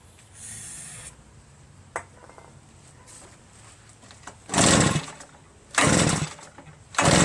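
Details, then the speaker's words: Reassembled Redmax EBZ8050 commercial backpack leaf blower on choke, throttle mid, after starting fluid: three hard recoil pulls about a second apart, no pop or catch, won't start. Spark not yet checked; owner later suspects carbon-stuck rings and low compression. "Not a sign of any starting. Gonna have to check for spark."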